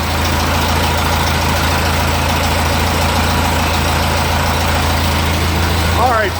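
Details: Ferguson TE20 after 6V generator to 12V negative-ground alternator conversion with a fabricated bracket stopping alternator wobble: deep, steady idle with a smooth low rumble, no knocks or rattles; running normally.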